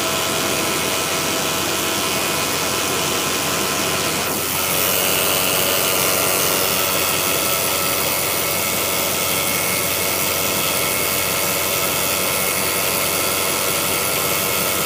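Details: Jeep WJ cold morning start, steady idle: dry, busy metallic rattle, loudest in upper range, seemingly from the transmission bell housing; stops completely and is gone by about three minutes. Cause suspected, not confirmed.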